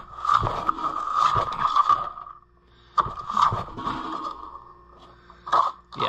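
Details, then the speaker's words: Old Homelite 4-20 chainsaw recoil starter on a restoration: long rasping cord pulls, recoiling only a little, free spinning with no engine turning over; owner suspects a weak spring or that it needs oiling, unconfirmed. "Oh, okay, it is kind of recoiling a little. Maybe it just needs oiled up, you know. But I'm sure that spring is weak. See, it's not engaging either."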